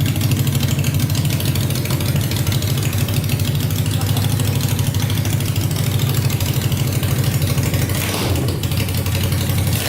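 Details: Tractor swapped with a 500cc Honda engine, first start on fresh gas after a carb clean and wiring fixes, spark on all 4 plugs, no coolant yet: loud, low-pitched idle with an even beat of about three per second, no misses or knocks.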